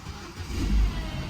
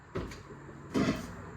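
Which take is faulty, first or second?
first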